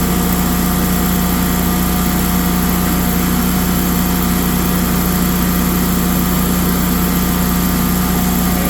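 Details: Generac 24kW standby generator run in manual mode after oil, filter and spark plug maintenance while voltage and frequency are checked; even, steady engine drone with firm low hum, no knocks or misses; running normally.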